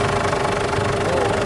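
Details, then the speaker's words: Ford Everest idling while the steering wheel is turned after replacing old, thick, never-changed power steering fluid; no pump whine or groan, steering noise gone. "oh wala ng ingay oh ba wala na siyang ingay oh ba sige na oh ' ba wala ng ingay"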